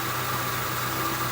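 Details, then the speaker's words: 1966 Ford Mustang convertible hot idle about 10 minutes after test drive, no leaks underneath: steady even low rumble, no knocks or misses; normal hot idle. "so we just kind of got back from the test drive let the car idle not a drop under"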